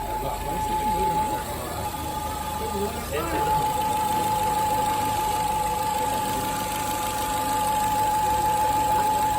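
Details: Fiat Firefly 1.3 four-cylinder petrol engine idling: steady high loud whistle from a punctured PCV diaphragm in the valve cover causing a vacuum leak.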